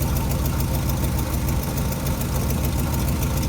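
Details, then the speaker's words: 1957 GMC 370 2-ton truck, original Pontiac 347 V8, revived after 20 years sitting, idling on its own tank: rough idle with a fast, sharp ticking puff over the rumble; exhaust leak, just the donut blown out. "Doesn't sound too bad, besides that exhaust leak there."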